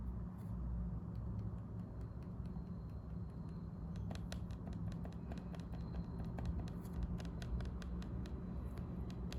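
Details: Lenovo IdeaPad Slim 3 15AMN8 laptop: sharp, crisp clicks when single or double tapping the touchpad, louder than a tap should be and annoying in quiet rooms.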